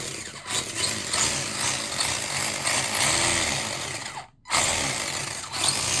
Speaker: Well, yeah, if you're not quite sure what that noise is, I'll try and show you with some lighting. You can see down there, that belt.